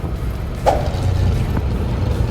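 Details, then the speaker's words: Nissan Sunny truck (Sunny Truck) running badly and worsening while driving: rough low rumble broken by hard popping, flames from the exhaust; misfiring engine with exhaust popping. "Turned into a lawnmower now. Listen to it, it's popping really hard. Watch the flames shoot out of the exhaust."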